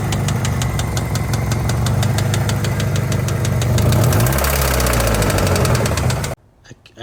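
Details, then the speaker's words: Honda Civic with extended lower control arms and an oil leak: a sharp, even bottom-end knock about 3–4 times a second over a rough idle, noticed while driving. The owner first thought it was valve-related, but it was rod knock. "noticed a little knocking sound when I was driving and uh I thought it was my valve flash cuz I really needed to do that. Um but it was rod knock."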